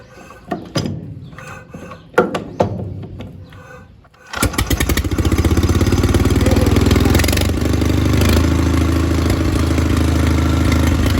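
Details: WWII Le Roi engine powering antique sawmill, started via pony engine, gas on and choke: a few uneven pops and coughs, then catches and settles into quick even putter about four beats a second; normal start and run.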